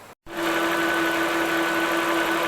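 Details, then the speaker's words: 2008 Volvo XC70 3.2 liter after repair: steady, even idle with constant mid-pitched hum, no whistle; before the fix, pulling it off gave a wind-tunnel rush into the engine; problem solved. "fixed problem solved before when i would pull this off it would just it sounded like a wind tunnel rushing into the engine so that was definitely the problem"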